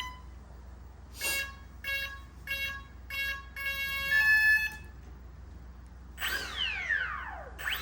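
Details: Xfly Twin 40mm F-18 EDF jet: twin 1413-5500kV motors on 20A ESCs, 4S battery, during throttle calibration; four short electronic beeps and a longer tone, then a brief sweeping fan whine as the motors spin up, normal arming.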